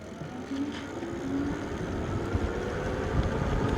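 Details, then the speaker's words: Lectric XP 750W folding eBike after controller replacement, riding at 17–20 mph; only faint steady hub motor hum under tyre and wind rush, no grinding, clicking or knocking, running super quiet with more power. "problem past 15 to 20 miles an hour, staying super quiet. So my issue was fixed with a brand new controller."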